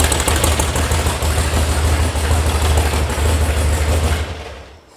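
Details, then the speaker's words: VW sand rail air-cooled engine warming up at idle after an electronic ignition install and carb tune, with oil pressure at 50: a loose tinny rattle from a loose or missing heat shield rides over the lumpy idle, then the engine winds down. "That rattling heat shield that's missing is, well, really annoying to me."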